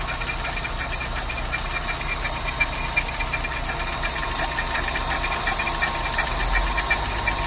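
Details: VW Saveiro G4 with AP 1.6 engine idling with the valve cover off; regular light knocks about three a second over steady idle; owner suspects the timing belt or pulley, source still unknown.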